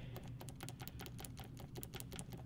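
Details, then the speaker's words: Case IH 3320 sprayer AIM Command nozzle solenoid, bench-tested by tapping power to its terminals: crisp, sharp clicks as the plunger snaps firmly, unlike a weak one that barely moves. Healthy solenoid click. "that that one's a good solenoid this one here was was barely moving"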